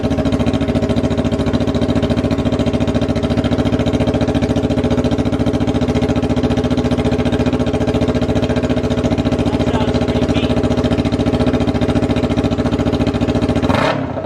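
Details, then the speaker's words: 2019 Yamaha R3 with the muffler removed, running on aftermarket straight pipes: loud, steady, even idle with a raw, rapid pulse of about 3–4 beats a second, running cleanly. "So let's hear the start now without the muffler. Hopefully it sounds better."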